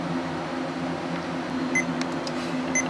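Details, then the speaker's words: Laptop giving short high beeps about a second apart over a soft fan hiss and not posting at all after a hard drive change; it was also blue screening with an unmountable boot volume, and the owner suspects a bad motherboard. "Not very encouraging. Clearly there is some kind of a problem here. It is not even posting at all."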